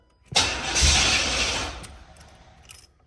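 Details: Chevy box with a fuel-injected 305, starter fluid sprayed in: short crank, catches on the starting fluid for about 1.5 seconds, then dies. Cranks but won't keep running; fuel pump heard.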